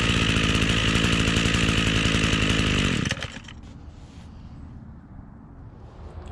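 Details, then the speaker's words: Echo two-stroke string trimmer after replacing stiff fuel lines, cold start with choke, warmed 20–30 seconds: strong even high-pitched full-throttle buzz with no surging or bogging, dropping cleanly back; running healthy. "right guys well that seems like a pretty good fix uh it was a little boggy right after startup and i believe that was just because i didn't let it warm up enough after about 20 30 seconds of letting it warm up it was doing some uh full throttle pulls and had no issues"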